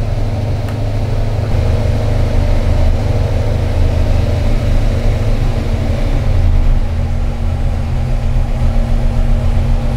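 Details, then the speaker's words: 1968 Shelby Mustang KR tribute, 428 Cobra Jet, idling at 800 rpm with 15 inches of vacuum; deep steady lumpy burble, even, no knocks or misses; healthy cammed V8 idle. "here's your engine idle is 800 rpms okay"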